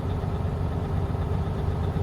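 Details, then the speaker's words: Truck diesel held around 1,000 RPM during a pre-trip air pressure build-up test: even low rumble with no irregular knocks while air builds from 85 to 100 psi within 45 seconds; compressor charging normally. "And we're just going to watch those gauges 85 to 100 45 seconds or less."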